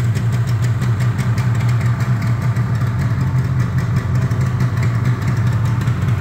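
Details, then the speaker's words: Yamaha RD350 LC F2 power valve two-stroke, about 13k miles, cold on choke: crisp, steady burble at a fast cold idle, even firing with no misses or knocks; runs clean. "so this is going to be cold yeah that's a power valve and yeah a lot better than that does it"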